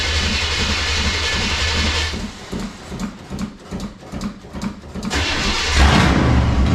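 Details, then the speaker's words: Vehicle started after sitting about one to two months, open pipes with no mufflers: loud, deep, even chuffing at about four beats a second settling into a steady idle, raw open-pipe bark, no knocks; normal idle. "So I got open pipe. It's got no mufflers right now, so she might be loud."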